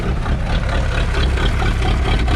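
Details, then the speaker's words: 1999 Chaparral 180 LE bowrider's Mercury 3.0L four-cylinder engine, first start after six months stored in a shed; deep, steady rumble with an even beat and no knocks or misses, slightly rugged. Normal idle. "so far so good sounding a little rugged but you would too if you've been sitting inside a shed for the last six months"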